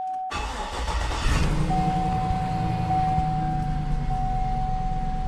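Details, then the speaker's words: 2006 Cadillac Escalade on a lift, first start after an oil pan gasket replacement with the pan and pickup tube removed and fresh oil added. It cranks briefly, builds oil pressure quickly and settles to a steady idle with no knocking or leaks; normal. "Everything under here looks nice. I don't see any drips anywhere. Everything sounds normal. I think we're good to go."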